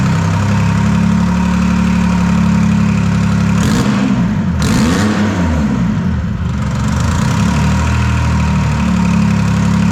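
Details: Detroit 3-53 two-stroke diesel first start after 25 years, camshaft reversed after a backwards install in its 2000 rebuild, no exhaust or driveshaft fitted: deep, even drone swelling smoothly through a couple of revs and settling back, no knocks or misses. Normal running.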